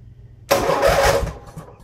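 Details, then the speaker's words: Briggs & Stratton riding mower in neutral, relay bypassed by jumping to the battery to test it. A short, strong burst of starter cranking shows the relay is good. The fault lies elsewhere in the safety circuit, and the clutch is suspected. "so we know the relay works okay that that's that's how you can prove whether or not the relay is good"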